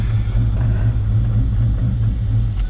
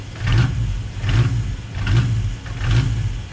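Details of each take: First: Built 5.0 Mustang GT sitting two years, after ground fixes and battery charge, running without MAF sensor or tune: deep, loud, steady idle with slight regular pulse, no knocking or stumbling; V8 running fine. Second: Built 5.0 Mustang GT V8, sitting two years, grounds fixed and PCV valves removed, started but not a proper cold start: idle surges and dips about every second with a deep lumpy rumble. The owner suspects intake leaks cause the rough idle.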